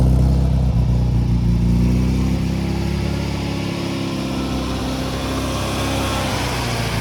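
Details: Restored 1969 Datsun 2000 roadster, 2.0 liter engine, after a cold start: strong deep exhaust note pulls high, then eases back to a steady, even idle with no misses or knocks. Normal revving.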